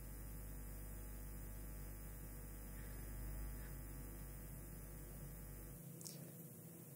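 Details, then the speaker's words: Microphone cable test: gain raised with only this cable live. A steady low buzzing hum comes in when the cable is touched, then cuts out near the end. Mains hum picked up through the handled cable. "Karena saya menyentuhnya, ada suara yang masuk. Tapi tidak apa-apa."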